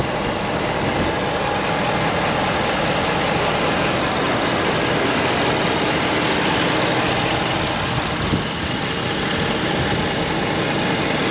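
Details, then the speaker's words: 2013 Ford F350 diesel 4x4 standard cab long bed: steady, even diesel clatter at idle with no knocks, misses or rising whine; a healthy idle. "looks good sounds good let's go see if it drives good shall"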